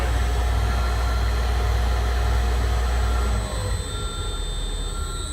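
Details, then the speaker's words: Brand-new 2016 Potain MDT 219 tower crane, run for a couple of months, heard from the cab: the hoist drive steps through its first, second and third speed steps with a steady low drone. Smooth, with no grinding or knocking. "Also, it's the same for the hoist. You can hear that's the first step, if you can hear it, and then second step, third step."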